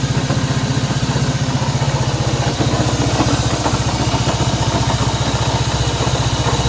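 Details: Honda CB190R single-cylinder motorcycle engine noise at idle: a steady idle with an even, fast pulse of about three beats a second and a faint extra rattle on top, source unclear.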